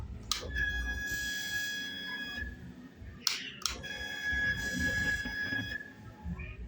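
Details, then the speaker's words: Honda CB Twister motorcycle fuel pump priming at ignition: two steady high whines, each about two seconds; noise appears mainly on hot days, pump or its strainer suspected, replacement pump refill considered. "Boa Família Paulinho do canal brab 013 estamos aí novamente a sua CB tu começou a fazer esse barulho família na hora que injeta"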